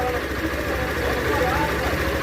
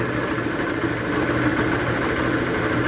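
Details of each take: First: Motorcycle engine after rebuild, following a blown clutch bearing: steady, even low putter at idle with no knocking or rattle; bottom end sounds healthy, normal idle. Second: Motorcycle idling with coarse gritty rumble and loose clatter from a failed clutch bearing; oscillation felt at the clutch cable lever, also when shifting gears; engine to be rebuilt.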